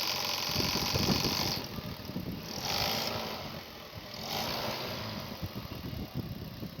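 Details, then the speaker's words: Running engine: fast, uneven rattle and rough clatter at about four per second. The alternator's aluminium decoupler pulley, with its rubber clutch inside, has broken and has play; replacement needed. Alternator decoupler pulley noise. "الديفو كونها هذه تكسرت، ريتوها البولي هذه خاطر هي بولي يعني منيوم، وفي وسطها كيلومبرياج يعني كاوتشو والمنيوم، هي هذه تكسرت، هي اللي عامله الصوت."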